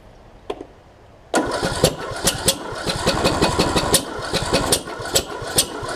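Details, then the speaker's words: John Deere D110 mower after a rebuild following a detached flywheel magnet: stumbling pops and kicks while cranking, never catching. The owner suspects timing is off from a sheared flywheel key, but on inspection the key was intact, leaving the cause unconfirmed. "hmm that's doing some weird stuff ain't it it's almost like the timings off which it could be if it sheared that flywheel key with the magnets and all"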